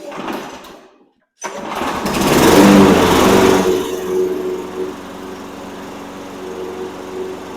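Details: Toro Recycler 22" mower, Briggs & Stratton 190cc engine that wouldn't start, after repair, first run on gas without starting fluid: catches after a pause, surges briefly, settles to steady even beat; normal running.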